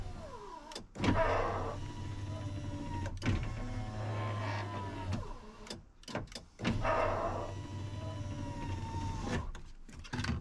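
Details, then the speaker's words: 2000 Ford F250 Super Duty 7.3 diesel power window, after penetrating oil in the track: the motor whines, then slows into a labouring drag near the bottom of travel and stops. Owner suspects a bent track binding the glass. "think this uh this track is bent or something"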